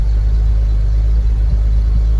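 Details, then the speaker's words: Long-neglected BMW Z3 M, just started for the first time in ages after fuel pump priming: steady, deep, even rumble with no knocks or misses; idling smoothly. Normal idle. "Oh, a beauty. That's the first time it started in ages."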